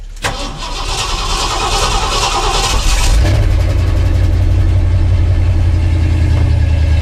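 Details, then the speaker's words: Carbureted car unstarted for over a month in sub-zero cold: cranks, catches, runs ragged a few seconds, then settles to a fast steady idle; rough cold start. "it'll die give it a second if it don't I'll be amazed it'll die now if I pump it twice reset the choke it'll run it'll sit here and run all day now pretty as you please"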